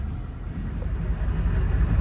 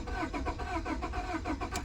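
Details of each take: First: 2002 Honda Accord after crank-no-start fixed by programming both keys with Autel IM508; low, steady engine rumble with no knocks or misses, starts and runs normally. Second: 2002 Honda Accord, repossessed, crank-no-start; starter cranks at an even quick rhythm, about eight compression beats in two seconds, but the engine never catches; immobilizer key not registered, security light on.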